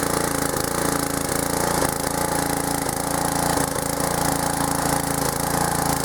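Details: Old pressure washer small engine fitted with a homemade PVC gas tank replacing a leaking one, running on choke: fires quickly into an even, steady beat with no misses or stumbles. Running normally.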